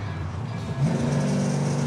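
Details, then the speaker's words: Car with about 150 km on it, after readjusting all the lifters, at 180° with 75 lb oil pressure: a deep, even engine rumble that swells smoothly with revs, and the earlier tapping is gone. "the engine sounds pretty good I readjusted all the lifters and uh got rid of that tapping sound"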